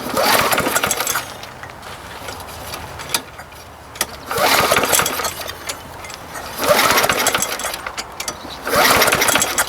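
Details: Lawn mower no-start, before repair: four recoil pulls about every 2.5 seconds, engine spins but never catches; intermittent spark, owner suspects broken flywheel key.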